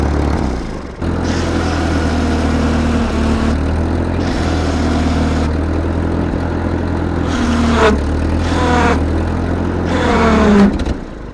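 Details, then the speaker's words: 1943 Ford 9N backhoe tractor engine started: catches and settles into a lumpy, uneven idle with a couple of rev blips; runs rough, block has several cracks. "damn you uh she runs not going to say she runs well she needs some help"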